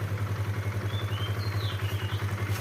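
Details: Kawasaki KLX 150 after repair of rough-sounding engine: steady, even single-cylinder idle with smooth low thump, no cracking, ticking or clatter; engine sounds healthy, normal idle.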